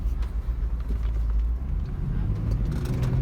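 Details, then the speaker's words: 2007 Volvo XC90 V8 AWD, about 193,000 miles, check engine light on; deep idle with uneven lumpy beat and irregular stumbles, miss goes away with a little throttle and improved when warm; misfire at idle. "see how she sounds mean sound and Check Engine like it sounds like it has a Miss it sure does sounds like it has a mess"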